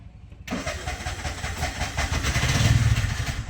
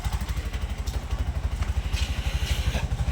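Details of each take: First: Bajaj CNG BS6 single-plug engine: catches after cranking and chugs unevenly about four beats a second, won't hold idle and keeps shutting off. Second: Bajaj CNG BS6 single-plug engine after idle cable adjustment: steady single-cylinder thump about three beats a second, even with no hunting or stalling; idle now holds correctly with no sensor fitted.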